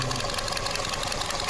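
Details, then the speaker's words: 2025 Nissan Versa HR16 petrol engine idling with one fuel injector disconnected: slightly uneven, pulsing beat as the cylinder misfires from lack of fuel, with fuel trim going positive on the oxygen sensors. "Ahora vamos a conectarlo. Ahora aquí tenemos desconexión inyector."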